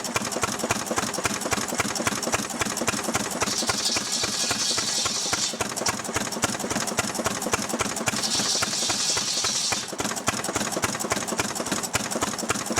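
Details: Restored 6hp Fairbanks Morse Model Z engine on kerosene driving a buzzsaw cutting firewood: fast, steady firing around 220 beats a minute stays even as the saw's high whine bites in twice; pulling its load cleanly, normal.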